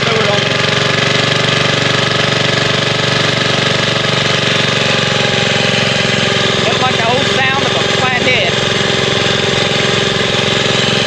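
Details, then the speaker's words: Vintage Sears Roper mini bike, Tecumseh single-cylinder flathead, carburetor untuned, riding about 10 mph at light throttle: steady even beat with no misses or knocks, no smoke; healthy running. "It's one of the best running flatheads I've played with in a very long time. At least today it cranked up with the second pull."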